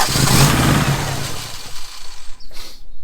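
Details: 1987 Daihatsu Charade GTTI 3-cylinder turbo, sat 10 years: catches quickly, rises cleanly through a short rev and drops back without stumbling; normal start and rev.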